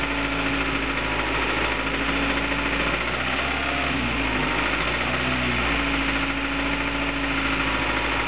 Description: James' (aka Jacques) Honda Prelude SH knocking sound from motor at 1500 rpm.